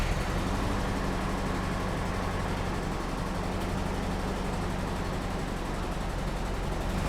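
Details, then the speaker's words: Nissan D21 Hardbody 4x4 pickup, first start after a new exhaust was welded in, during coolant refill: steady, low, even idle with a soft, muffled exhaust note and no blowing or ticking leaks. Now far quieter than before. Normal exhaust note. "I'm really happy because you may or may not be able to notice that the exhaust now is a lot quieter. It is 99% better now, so that is a big win."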